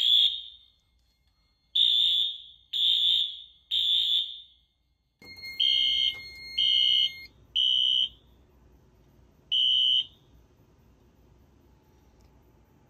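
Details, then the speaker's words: 2000s Wheelock AS horn on a Fire-Lite MS-9200UDLS system: horn blasts repeat with a wavering, warbling tone from the rough AC power. "right so I'm actually going to unplug the panel because the as will sound different on filtered"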